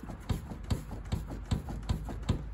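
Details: 2013 Toyota Land Cruiser Prado 150: evenly spaced dull knocks, two or three a second, as the shut rear door is pushed in and out; the door is loose, possibly bent, and has no adjustment.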